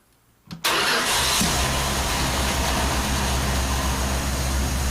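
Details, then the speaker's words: 1976 Dodge W200 3/4-ton truck, first startup with a new chassis and fresh fluids: brief crank with pumps heard, catches at once and settles into steady, even idle; clean normal start. "and there it is running again"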